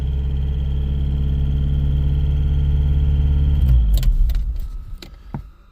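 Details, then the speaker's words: Porsche 944 project car, cold, radiator not installed: low throbbing drone that sits at a raised idle, then drops, sputters and dies near four seconds. The owner can raise it back with throttle and guesses the cold causes it. Rough running. "kind of sits sits it just over to ,000 maybe because it's cold I don't know then it drops down and sputters I can raise it back"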